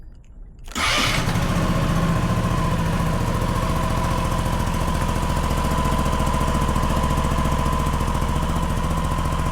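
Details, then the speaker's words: SYM Husky ADV 150 scooter just after DIY oil change, started to check for leaks or odd noises: quiet, then starter catches and engine settles into an even, steady putter with no knocks or rattles. Normal start and idle. "ayan, wala naman tayong napansin na kakaibang tunog. At wala rin mga leakage o tulo."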